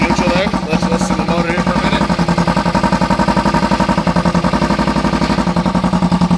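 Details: 2008 Kawasaki EX250 with EX500 engine swap, being parted out: steady, even exhaust pulses at idle, smooth beat with no knocking, banging or tapping; engine sounds healthy, normal idle.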